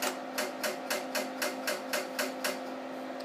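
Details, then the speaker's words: Altair computer with FDC+ floppy controller running a BASIC directory (files) command; the drive head loads and unloads several times, crisp evenly spaced clicks about four per second over a steady drive hum, then stopping. Normal head load/unload clicking. "Listen to this, you'll hear the head load and unload multiple times during this directory command."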